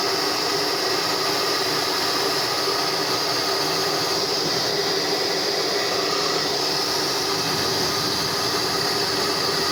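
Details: Hair dryer (model 6000 Turbo) after cleaning out a hair clump under the fan that had loosened it and caused strange noise, running after reassembly: smooth, constant airy hiss with faint motor whine, no rattles or scraping; normal.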